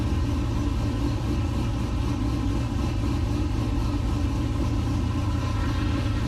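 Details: 1969 C50 farm truck LS-swapped V8 (Frank) at idle in the shop after a power steering rebuild, system bled and still leaking slightly: deep, even rumble with a steady rhythm and no knocks or misses; healthy idle.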